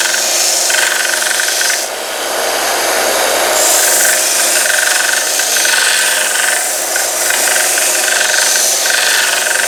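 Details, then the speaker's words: Harbor Freight 1 inch x 30 inch belt sander grinding a small piece of steel: harsh steady grinding with a faint rhythmic knock about four times a second from the belt. "Okay. That seems to work really well. You can hear it kind of knocking, and that's the belt."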